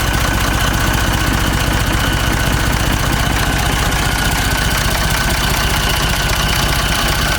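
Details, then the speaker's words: Ford 3600 tractor diesel after a second CAV injector pump rebuild freed plungers gummed by old diesel: even, regular clatter at steady idle, running cleanly on its own once the hard-to-purge injectors fired. "finally got it it was shooting it was shooting good fuel it was smoking you could tell it was lightly hitting"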